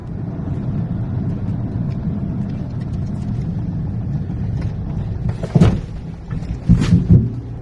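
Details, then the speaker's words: Mahindra Scorpio N or XUV700 SUV driving and over speed breakers: low road rumble broken by sharp, dull clunks from the front suspension; third showroom visit, unresolved, said to affect the whole batch and recalled. "सबसे पहले आपको video देख सकते हैं की आप clearly एक आवाज़ सन सकते हैं जो काफी अनाेईंग है और ऐसी साउंड के साथ आप गाड़ी नहीं चला सकते"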